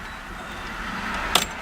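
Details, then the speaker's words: Fox-body Ford Mustang after K&N fuel filter replacement, key turned on to prime: short even electric hum of the fuel pump, pitch deepening over repeated key cycles, steady with no stutter; pump healthy. "alright so just turn the key to the on position to prime the pump and you'll even be able to hear it"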